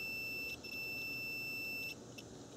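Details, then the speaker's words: Cooling fan relay bench test, about 12 V from an RC battery pack on terminals 1 and 2, meter across terminals 3 and 5: clear steady continuity beep about 1.5 seconds, relay contacts closing. Relay working correctly. "so that verifies that we have continuity this is working correctly"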